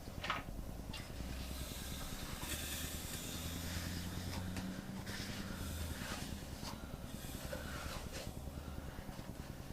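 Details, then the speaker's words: Junkyard LS V8 long block being assembled and turned by hand: quiet airy hiss puffs every second or two; compression escaping from the other bank's cylinders. "I don't know if you guys can hear that hissing but that's the compression from the other Bank getting out"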